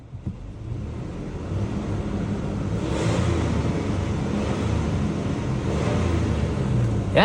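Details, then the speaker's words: Engine revved with the air conditioner off, hood open: low rumble swelling smoothly and settling evenly, no knocks or misses. Healthy engine, normal revving. "sounds sounds healthy. Sounds like a perfectly well taken care uh engine."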